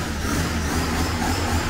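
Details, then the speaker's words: Fiat 147 engine swapped into a Fiorino pickup, running after install: steady, even, smooth deep engine note with no misfire, much smoother than before; remaining noise blamed on loose suspension parts vibrating with car off the ground. Normal running. "much smoother, it was a scandalous engine. right on the camera engine starting silent"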